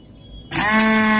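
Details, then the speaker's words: Honda Vario 110 injection scooter starter motor (dinamo) bench-tested off the bike, wired directly to battery, for a no-start with only clicking: sharp electric whine spins up instantly at a clean steady pitch, no scraping or stutter; starter runs freely. "kita coba tes dulu ya untuk positif dinamo kita sambung pakai kabel ini terus untuk negatifnya kita tempel indie negatif Aki ya ini seperti ini kita tempel in ya dengan kuat terus untuk positifnya kita tempel di positif aki seperti ini"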